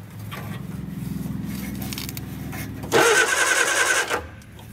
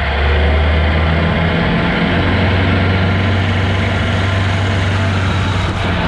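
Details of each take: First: Barn-find Austin-Healey Sprite, running on just a battery, oil line plugged since there is no oil pressure gauge: pulling the starter cable spins the engine at an even, brisk rhythm for about three seconds with no binding. Normal cranking. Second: Barn-find Austin-Healey Sprite running from a fuel drip bottle: engine holds a steady raised idle instead of settling; high idle because the throttle pedal was not returning and had to be pulled back by foot.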